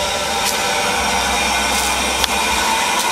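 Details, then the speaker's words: 2007 Chevrolet Equinox hydrogen fuel cell vehicle (GM) just started and ready to run: steady airy hiss with little squeaking/scratching as the fuel cell takes in hydrogen, plus normal exhaust noise (water vapor), no engine rumble. "so the fuel cell does Make some noise it's not as quiet as you might think hear that little squeaking noise or little scratching noise and that's the fuel cell it sell make taking in the hydrogen and there is some exhaust noise"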